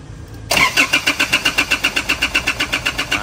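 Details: Engine cranks but won't start, no fault codes, fuel not flowing to the pump; after fuel tank cleaned and reassembled, starter churns about four compressions a second without firing; crank no start from clogged injectors.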